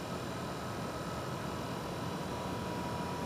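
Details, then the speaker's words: BG PF5-HO transmission fluid exchange machine running with its added high-output pump during ATF exchange: thin steady whine above constant hiss of flow; pump operating normally. "the standard machine doesn't have a pump so you won't hear the whining the whining noise of the pump"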